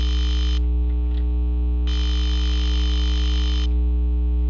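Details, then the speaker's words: Intelbras Modulare/Conecta PABX with no extension dial tone, pin lifted from the board: low steady hum with hissy band cutting in and out instead of dial tone; switching matrix suspected of injecting noise and killing the tone. "Então é como se a matriz estivesse jogando esse ruído em cima do ramal."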